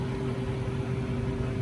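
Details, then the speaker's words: New Harvest Right freeze dryer on its first cycle with sliced bread, vacuum freezing stage around -28 to -30°F: steady even low hum with constant mid tone, no knocks or surging; vacuum pump running normally. "We are now in the vacuum freezing stage. Looks like we're around -28 to -30 Fahrenheit. I see it jumping around a bit."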